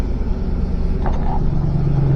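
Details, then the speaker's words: 2005 Ford F150 just after starter replacement, sat a few weeks: engine catches and settles into smooth steady low idle, no grinding or clicking from the new starter; normal idle. "Hey, she starts. Yay. Had been ran a few weeks. Started right up though."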